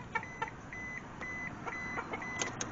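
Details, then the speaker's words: Mitsubishi Mirage that sat for years with no spark and no fuel pressure, key on: steady high beep about twice a second from the normal door-open warning chime; no fuel pump relay click heard. "I don't hear the relay clicking but I got that stupid door buzzer going ding ding ding ding or beep beep beep"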